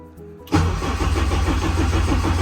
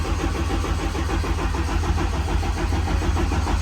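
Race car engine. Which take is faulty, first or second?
first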